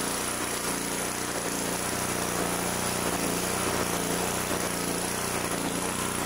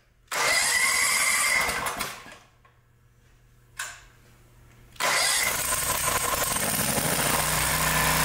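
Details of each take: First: 2-cylinder engine, reassembled with the plug back in, runs rough with an uneven lumpy beat, one side still running cool; later traced to backed-out bolts letting the intake manifold suck air, weakening that cylinder. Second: 2-cylinder engine after replacing both intake manifold gaskets: short crank, then a steady, even beat on both cylinders with no misses, running as it should.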